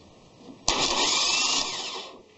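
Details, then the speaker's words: Starter bench-run by jumping the terminals directly: a harsh, high whirr for about 1.5 seconds, then it winds down. It spins but sounds strained, working harder than it should. Cause unconfirmed. "it doesn't sound great though so I got to say it sounds like it's actually working a little harder than it should be"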